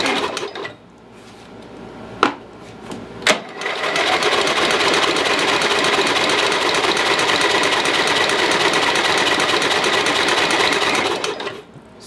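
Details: Lowe's 1442 mower, 14 hp engine, carburetor reattached, chokes on, spark confirmed: fast rhythmic cranking at about three beats/s that never catches. Owner suspects flooding.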